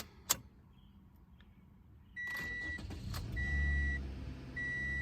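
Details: 2014 Toyota Corolla LE 1.8 2ZR-FE with P2118, no throttle response and high idle, after throttle actuator circuit checked good: warning chimes, quick crank, catches and settles to a slightly high idle that comes down; normal start-up.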